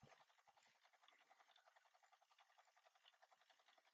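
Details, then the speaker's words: Sony CMT-EP313 cassette deck, tape mechanism struggling and auto-stopping on rewind; faint scratchy squeaks repeating about twice a second like something rubbing as it turns, owner says it sounds like rubbing, cause not confirmed: rubbing noise. "Sounds like it's rubbing."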